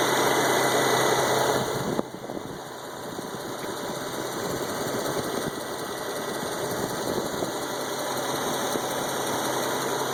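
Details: Ticking at steady idle, about four per second: exhaust escaping through a small gap where the gasket on aftermarket high-flow catalytic converters, installed a couple of years earlier, had partially disintegrated; an exhaust leak.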